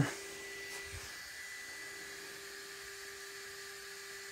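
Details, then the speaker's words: Electric RC car (T-Maxx or two-wheel-drive Slash) under repair, after swapping reversed wires: faint, thin, steady single-pitch driveline whine; rear differential making the noise. "differential's making noise there, or the rear, yeah, the rear diff."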